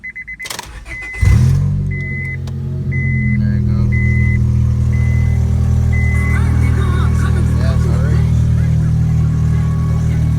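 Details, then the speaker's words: Honda Civic EX with newly installed DNA Motoring headers and a test pipe replacing the stock cat, no catback yet: a few chime beeps, then start into a loud, deep, raspy idle with a steady low drone; loud exhaust idle. "I must warn you guys though my car does sound very very loud now with the headers"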